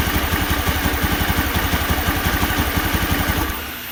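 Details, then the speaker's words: Honda Scoopy fuel-injected scooter, KZL engine, rough starter, compression confirmed good. Uneven, loping idle near three beats a second that fades and dies after a few seconds; no response to air screw adjustment. Will not hold idle, stalls; MAP sensor suspected. "Dan ternyata benar, motor tidak mau stasioner."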